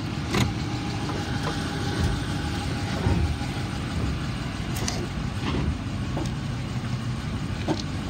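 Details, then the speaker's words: 2019 Dodge Charger PPV, 5.7L V8, automatic, 48,000 miles, idling engine sounds good: scattered sharp clacks about every second from the front wheel or hub area when rolling and braking, not when steering; cause unknown. "again I don't know where it's coming from I can hear clacking doesn't do it when I turn the wheel it does it when I roll and press the brakes if that helps"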